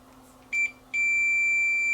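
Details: Toshiba 14-inch CRT TV, totally dead: a capacitor pulled from a shorted power supply was connected at about 170 V and blew the fuse; short chirp, then a steady unbroken high-pitched meter tone; the capacitor is a dead short.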